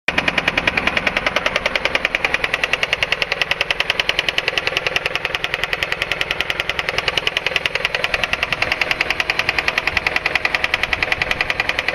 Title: Honda Accord Engine Knocking 2.3 liter